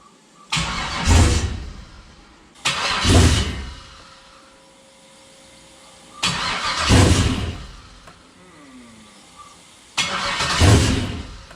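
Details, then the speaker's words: Chevrolet CUCV with newly swapped 6.0 engine, first start attempt, coolant system not yet connected: four brief cranks, each catching a second then dying; owner suspects something missed in the tune, not confirmed. "oh she's close I'm starting to think I missed something in my MI tune I think I missed something"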